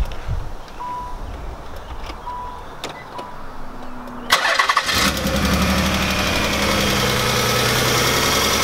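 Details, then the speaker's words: The 300, with a spare coil pack fitted: it cranks a few seconds, catches and idles rough and uneven with one cylinder dropping out; misfire traced to a broken injector wire. "sound great something's going on here this is this is ridiculous this is crazy"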